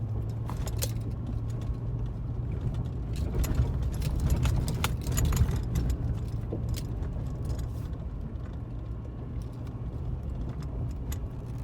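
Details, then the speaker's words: 2021 GMC Sierra 2500HD 6.6 gas hauling 800 L of fuel in the box, off-road on rough roads: irregular light clattering and jingling rattles over road rumble; owner suspects a sway link or something in the front end, unconfirmed. "These roads here will definitely bring the rattles out of her. It sounds like a sway link or something in the front end."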